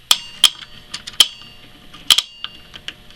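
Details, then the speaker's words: Oil-fired furnace hot water tank control, gauge lowered so tank calls for heat: a handful of sharp, bright metallic clicks and ticks in a quiet room as hot water zone control switches in normally. "you can probably hear that noise and it's telling our furnace that the zone for the hot water needs to be turned on"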